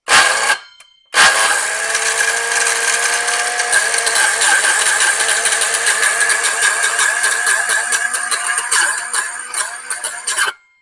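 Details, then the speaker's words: Old Ryobi circular saw, killed after almost a decade of moderate use, on the big battery. It runs loud and rough, pulsing about once a second instead of a steady whir. It overheats and gives off chemical smoke when held on; on a small battery it only clicks. "And it got real hot and started smoking. And with a small battery, it just kind of clicks periodically."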